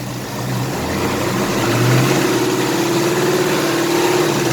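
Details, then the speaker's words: 2018 Ford Mustang GT V8, replacement crate engine with the intake manifold carried over, revved with the manifold valve connector still connected: faint fluttering, flapping rasp over exhaust drone that the owner links to the manifold. Intake flapping noise. "there was a specific I don't know if you noticed it of a specific sound when the connector was still connected"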